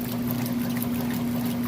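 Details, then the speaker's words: Whirlpool top-load washer with an agitator, full heavy load. Even churning and sloshing over a steady motor hum, with no knocks or grinding, as the agitator pulls the clothes down: normal agitation. "And that agitator essentially sucks those clothes down."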